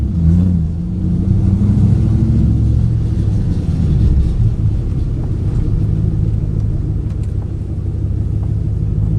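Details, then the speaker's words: 2008 Ford Mustang GT driving before coil replacement, dealer reported 5 bad ignition coils: deep exhaust rumble with an uneven, stumbling beat instead of a clean pulse; ignition coil misfire. "You can hear how this car sounds right now before I change these coil packs. I got a report from the dealer when I took it up there, said that it had 5 bad coils, so it had been misfiring."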